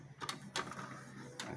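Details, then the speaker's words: Epson L3110 printer after replacing both upper and lower paper pickup rollers (worn smooth): light clicks and soft whirring as paper feeds normally, earlier loud noise during paper pickup gone. "นี่ครับผมเสียงดังหายไปแล้วนะครับแล้วก็ดึงกระดาษลงได้ปกติแล้วนะ"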